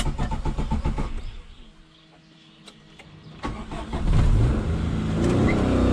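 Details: 1989 Suzuki Khyber/Cultus, 993cc G10 petrol engine, 4-speed manual, FWD, on a drive: engine chugs unevenly, fades almost to nothing as it dies, then catches and picks back up; stalling, cause not evident.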